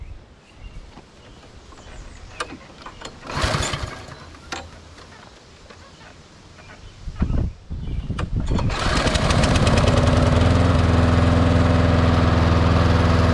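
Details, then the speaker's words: MTD Lawn Chief push mower with Briggs & Stratton engine, outdoors after a no-spark diagnosis in which the coil seemed to work and it was loosely reassembled: fires and holds a steady, even drone under mowing load, running properly with good spark. "Well, I got it outside. We'll fire it up and try mowing some with it and see how it goes."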